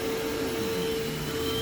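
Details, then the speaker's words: Simplicity/Riccar-type vacuum cleaner running with steady motor hum and constant sharp squeal from its slipping drive belt; base plate bent, otherwise quiet. "So there is that. Oh, and it needs a headlight. And you can hear the belt squealing."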